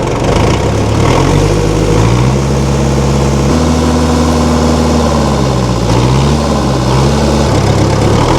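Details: 1960 Massey Ferguson FE35 4-cylinder diesel tractor, after sitting long in a paddock: steady, even thump with a few smooth rev changes and no knocks; runs healthy.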